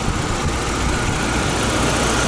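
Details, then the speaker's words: Audi V8 idling with A/C on after lubricating the ribbed-belt tensioner: smooth, even idle with no whistle or squeal from the belt drive; belt squeal fixed. "Все, ничего не свистит. Все ровно."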